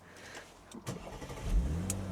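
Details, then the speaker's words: Japanese-import Audi SQ5 started with the keyless start button. The engine catches quickly and settles into a smooth, steady low idle with no knocks or misses, sounding healthy. "We'll start it up. It's got keyless engine stop button as well, so you don't have the key"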